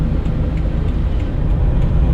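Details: 1983 Daihatsu Hijet kei van, 30 hp, on a long drive at higher speed: deep, steady low rumble with even beat and no knocks or rattles; engine runs healthy, burns and leaks no oil.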